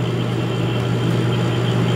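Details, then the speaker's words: Beverage-Air UR30GE commercial refrigerator compressor after replacing the 193 µF start capacitor and recharging with R134a: steady low hum with even vibration, no clicking; compressor running smoothly and cabinet getting colder. "oh yeah that's vibrating a little more now it compresses this it's a tiny bit you can feel it actually pull it I'm not hearing that click no it's not clicking anymore"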